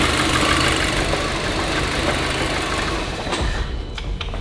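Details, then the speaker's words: VW Golf GTI idling lumpy with a faint airy hiss; a vacuum pipe found snapped, confirmed as the vacuum leak, though a smoke test had not shown it. "It's snapped. That's 100% the vacuum leak."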